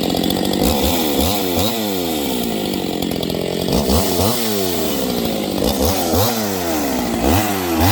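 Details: New Husqvarna 268XP chainsaw on break-in, in its first cuts in wood: the engine note sags and races back up about once a second under load as it starts 'waking up'; cause not confirmed.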